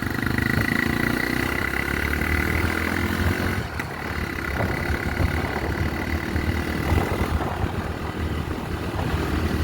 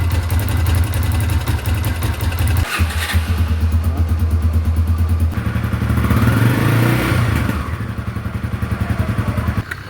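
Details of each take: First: Honda Tornado single-cylinder motorcycle after valve clearance set to 0.12 mm intake, 0.15 mm exhaust (previously too loose, sewing-machine noise): steady even note, no ticking; runs healthy, reaching 115 easily. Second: Honda Tornado single-cylinder motorcycle before valve adjustment: light quick sewing-machine ticking over the beat, rising with revs; valve clearance too loose, specified 0.12 mm intake, 0.15 mm exhaust.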